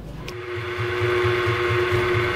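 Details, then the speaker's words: Donkey water pump after repair, motor refitted, run before oil added: steady motor hum with even low thump about four times a second, no knocking or grinding; pump runs healthy. "और इसे चलाया जा रहा है और आप देख सकते हैं इसमें किसी तरह की कोई आवाज नहीं है"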